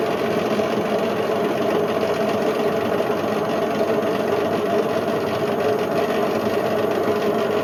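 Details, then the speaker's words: Indesit IWC71453 washing machine spin test: steady, heavy rumbling roar throughout the spin; drum bearings completely worn out, with the drum eating into the plastic tub and possibly cutting the heater. "The bearings are gone."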